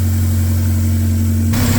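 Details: K24-swapped 1987 AE86 idling after flipped MAP sensor wires (running rich) were corrected and fuel pressure dialed back from 90 to around 55; steady, even low drone without hunting. Normal idle.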